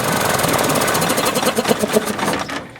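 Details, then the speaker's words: 1994 15 hp Johnson outboard with impact damage: uneven, lumpy knocking at about four irregular beats a second and a poor idle in gear; sounds like it is running on one cylinder, owner suspects a gummed carburetor. "So she's rough, so I'll clean her up a little bit. And it sure sounds like it's running on one cylinder, but it could just be the carburetor's all gummed up too, and it's halfway delivering fuel the way it's supposed to."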